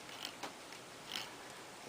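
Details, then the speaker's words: 12-speed bicycle wheel spinning after spoke tightening to center the rim past the brake: only a few light ticks, no rubbing or scraping; normal wheel spin. "no noise there now at all"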